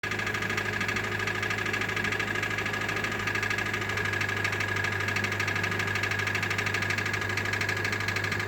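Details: 2013 Hyundai Elantra GLS, 60,000 km, at idle: a loud regular knock about three per second over a steady hum; the dealership diagnosed the crankshaft rubbing the bottom of the engine, and a replacement engine is on backorder.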